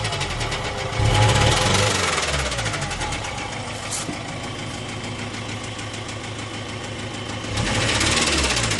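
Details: 2004 Ford Transit TDCi diesel: heavy clatter with repeating knock about three per second, louder when revved; suspected big-end bearing knock, unconfirmed.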